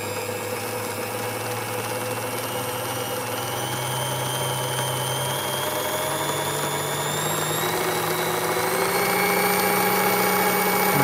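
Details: Singer 201k sewing machine with a DIY servo motor, speed reducer and force-control pedal. An even whir and needle chatter rise gradually in pace and loudness from slow (8 stitches/min) toward max 540 stitches/min, with no knocks or binding. Normal running.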